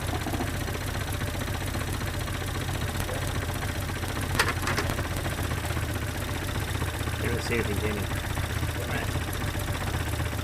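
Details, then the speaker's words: 1972 Datsun 510, L20B engine, after alternator replacement: low steady idle rumble with even beat, no knocks or stumbles, adjusted from about 470 rpm upward; very stable, before fuel mixture adjustment. "now I'm just adjusting the idols through right now I'm at 470 and it's idling which is fantastic probably gonna have inside it now we're at 5:37 like 70 [Applause] 7:53 it's very stable"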